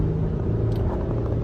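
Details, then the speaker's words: 2023 Honda Odyssey minivan, 175,000 miles, driving: low, steady rumbling hum and thumping that tracks vehicle speed and changes pitch in curves; customer reported grinding brakes, suspected right-front wheel hub bearing. "It's kind of got the dut dut noise going on. And it completely correlates to the speed of the vehicle."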